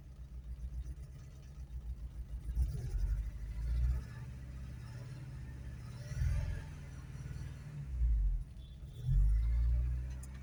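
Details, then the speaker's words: Petrol car started after 7 months stored with battery on a minder: idle lumpy with uneven surges and dips, running rough, then smoothing out. "Running a little rough. That's better. Smoothing out."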